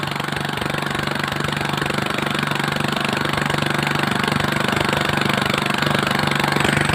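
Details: Villiers/Greaves Mk12 four-stroke single-cylinder engine after correcting the ignition contact point position near the coil; before the fix it misfired, kicked back and wouldn't start. Now it thumps steadily at an even beat, running cleanly.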